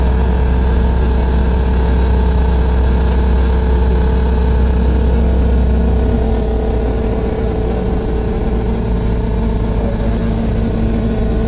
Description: Sitting on upper deck, this noise kept going on nonstop, it was so loud I developed headache.